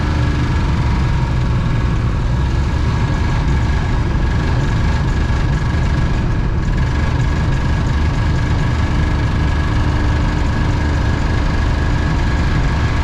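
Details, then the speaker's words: Campervan broken down on a trip: heavy, uneven low rumble at idle that stumbles near stalling, check gauges light on, engine cutting out and needing throttle to stay running, smoke seen; serpentine belt suspected to have popped off. "This thing is running really [ __ ] rough."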